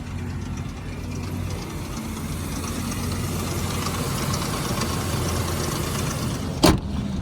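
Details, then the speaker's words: High-mileage 2002 Ford Explorer Sport Trac, two-wheel drive, very cold morning, jump-started on low voltage; light slapping rattle over the low cold idle, timing chain starting to slap, rattle said to worsen once warm; timing chain failure. "Oh, you can hear that timing chain starting to slap."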